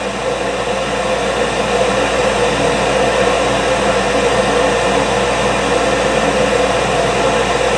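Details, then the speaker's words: York furnace with four-red-flash fault, house at 65°F vs 70 set, start-up before diagnosis: inducer motor and burner fire with steady airy roar and low hum; flame later goes out with clicking and the four red flashes. "okay let's fire it up and see what it does switches on inducer motor fired up"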